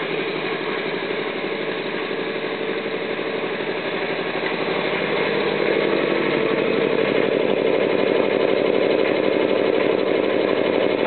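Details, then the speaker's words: Homemade custom air compressor with PLC control and new turnbuckle belt tensioner, starting at about 98.5 psi and running up to about 108 psi: steady even pumping beat around four strokes a second; normal, fairly quiet running. "it'll run up to about 108 start cycle it's got a preload on it gage over here it's not super loud if i had a door on there it'd be actually pretty quiet"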